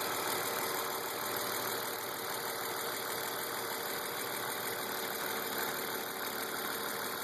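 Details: BMW E36 328i M52, 175,000 km, M50 intake, M3 EU headers and exhaust; quiet idle with light fast tick over smooth six. Oil, cam/crank sensors, injectors, lifters, chain tensioners, upper chain, VANOS seal replaced; oil and fuel pressure, cam lobe/lifter clearance checked; cause unfound.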